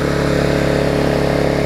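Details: Vulcan 18" mower's 3.8 horsepower two-stroke, revived with a new intake pipe and a freed rusted flywheel/magneto, gives a steady, even drone at constant speed with no misfires or surging; running properly.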